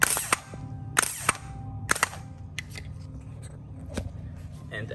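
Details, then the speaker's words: Bench test of a starter with jumper wire and battery jumper cables, case grounded: sharp clicks in close pairs about a second apart, solenoid snapping in cleanly each time; starter checks out good. "that's indicating that the solenoid is popping out so this starter is good we'll do it again so you can see the solenoid actually engaging"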